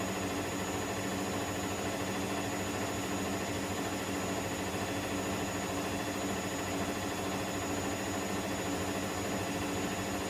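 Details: Electrolux EWF10843 washing machine spinning at 800 rpm with only two pieces of cloth: an abnormally loud steady roar with a faint pulse about once a second.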